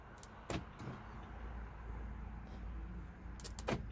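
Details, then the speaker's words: 2018 Nissan Altima front door lock actuator, key fob operated: a few sharp, dry clicks inside the door but the lock barely moves; works by hand, so actuator failing or lock binding. "Didn't budge, but you can hear it clicking. Let's lock it. Move just a tab."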